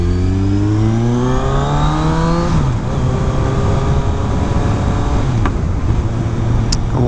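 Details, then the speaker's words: 2018 Kawasaki Ninja 1000 with new aftermarket exhaust and flashed ECU, emissions equipment disabled, riding: engine pulls up through the revs, then a sharp exhaust crack on the shift between second and third gear. "I was kind of under the impression that disabling all of the emissions stuff would prevent the popping and crackling but kind of feel like that's not the case"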